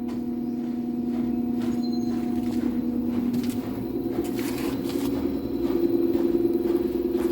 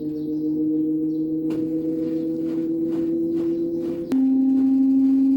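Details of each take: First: Daewoo inverter washer-dryer (9 kg wash, 7 kg dry) spinning unloaded after the damaged stator Hall sensor was replaced: a steady, smooth whirring hum that gently rises later, with no knocking or scraping. Spins normally. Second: Daewoo direct-drive inverter washer-dryer during spin as rpm rises: loud siren-like whine, not from bearings or drain motor; cause was a faulty hall sensor on the stator, replaced and noise gone.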